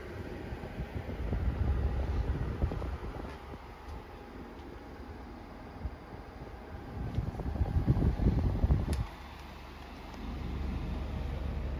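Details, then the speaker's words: Brand-new Midea U 6,000 BTU window air conditioner, heard from inside with the compressor ramped up, apparently to full capacity, on high fan: low, even fan rush over a very slight compressor hum with no rattles, normal operation. "So the compressor just ramped up, I think, to full capacity. This is it on the high setting. You can hear a very slight hum within the compressor, but turn the fan speed to auto."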